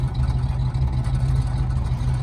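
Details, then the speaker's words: 1956 Chrysler New Yorker 4-door, original stock 354 Hemi V8, started after 8-10 years' storage, exhaust replaced about 30 years ago: deep, even V8 burble at idle with steady low rumble, no tapping or misses; normal healthy idle. "That's the original Hemi sound. I did put do a new exhaust system on it about 30 years ago."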